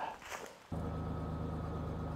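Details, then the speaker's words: Ford Ranger with a junkyard engine, restarted after replacing a missing PCV valve (the high-idle cause) and disconnecting the battery for the computer to relearn: catches and settles into a steady, even idle around a thousand rpm with no hunting, and stays down in neutral. Normal idle. "oh look at that sitting at a th we let her idle a little bit that's way better"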